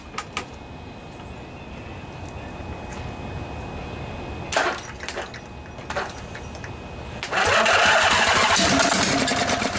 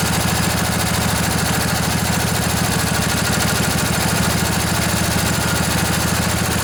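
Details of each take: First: Briggs and Stratton Intek twin-cylinder 20-25 hp junkyard engine left outdoors, no carburetor fitted, starting fluid sprayed in each side, cranked from a truck battery with a 50 amp charger: starter churns, then a short ragged burst of firing that dies. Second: Junkyard Briggs & Stratton Intek twin-cylinder 20-25 hp riding mower engine, long sat outdoors, just revived: steady even putter with regular beat at idle, no knocks or misses, bit smoky after sitting; normal idle.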